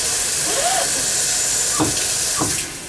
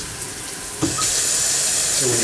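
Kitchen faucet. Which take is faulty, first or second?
first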